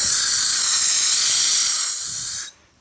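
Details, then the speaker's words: Blowing out cemetery water lines with compressed air from a compressor, heard at the main valve: steady sharp hiss of air leaking out for over two seconds, then stopping; compressed air leak at the main. "so at our main here you can kind of hear it it's leaking out"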